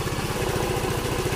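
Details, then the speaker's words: Yamaha Mio M3 scooter, dead for one year, after injector and fuel filter replacement: even single-cylinder putter, about thirteen beats a second, steady with no misses; RPM reads about 1617. Normal idle. "Ayan na mga idol. Naka-start na siya."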